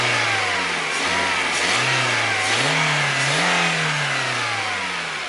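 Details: Lada Priora, 21126 petrol engine: engine revs up in several pulls with a faint knock riding over the rising tone; knock under revving, cause not pinned down.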